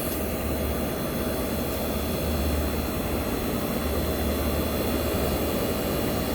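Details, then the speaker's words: 1965 Fedders Weatherwheel air conditioner on high cool, Tecumseh AJM compressor and cleaned fan motor running, mic near the compressor: smooth constant airy rush over a low steady hum, no rattles or knocks; running healthy. "This is the Tecumseh AJM compressor running. So yes, guys, you might tell me this sounds like the Chrysler, but you are right."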